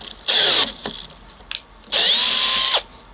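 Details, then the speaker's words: Makita XPH07 18V brushless drill on a 1.5Ah aftermarket battery, 1-inch three-flute auger in 4x4 after 12 holes: two high whining runs, the second sagging in pitch and dying under load; battery depleted. "this drill is very powerful but you can hear that that battery is dying"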